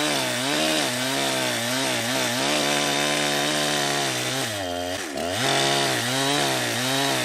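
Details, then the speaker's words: Jonsered 2071 chainsaw, first run in wood after a piston and crank alignment problem, stock muffler: high buzzing two-stroke note dips and recovers in the cut with an odd uneven edge. Owner suspects rich tuning; running hot, cause unconfirmed. "but I mean it does have a weird sound but that could have been just cuz it's rich and I'm not used to you know what a stock muffler sounds like"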